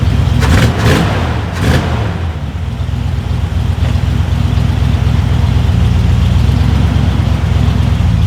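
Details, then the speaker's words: Long-sitting Jeep Cherokee Chief after fresh oil and charged battery; after a few clunks, a steady even low rumble at a slightly fast idle with no misses or knocks; idles smoothly, idle could be turned down a bit. "You can turn the idle down a little bit, but damn, I can't believe it's been sitting that long and runs as smooth as it does."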